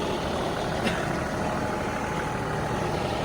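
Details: Diesel engine in cold weather after a fuel temperature sensor code, warmed up for about an hour: even idle with a steady low rumble, no stumbles or knocks; it now runs normally.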